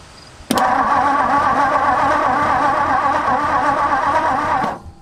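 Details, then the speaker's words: 1964 Ford F250 dump truck sat over a decade, cranking in neutral: uneven cranking thumps at starter speed with one beat noticeably softer; one soft cylinder, low compression, expected to clear up. "there's one soft cylinder but that'll probably clear up i heard the thumps"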